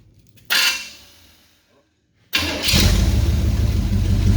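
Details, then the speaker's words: Chevy 350 V8 in a 1937 International rat rod, first start after thermostat and water pump refit with fresh coolant, checking for leaks: cranks, catches quickly, settles into a steady even rumble, no misfire, knock or leaks; normal running. "I got everything tightened up, so we're gonna crank it up and let it run for just a second. Make sure we ain't got no leaks."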